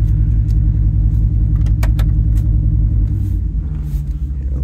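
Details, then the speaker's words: 2002 Ford Excursion V10 driving uphill under load: lumpy, uneven exhaust rumble that stumbles every few beats, running on nine cylinders. Single-cylinder misfire from a failed ignition coil, first on cylinder 6; swapping coils 1 and 6 moved the misfire with the coil. "yeah it sounds like absolute garbage that's what I uh 9 cylinder V10 sounds"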